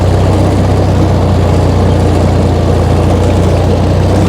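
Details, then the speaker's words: Tractor mowing very long grass in its first cut of the year, April 2026, after a wet, muddy spell; a loud, heavy, strained drone as the engine bogs down under load, struggling most on the end section. "But still for us this is quite late that we've left it, which is really showing with how much the tractor's struggling with it. But we're getting through it now. You'll hear the tractor really start to struggle on this end bit."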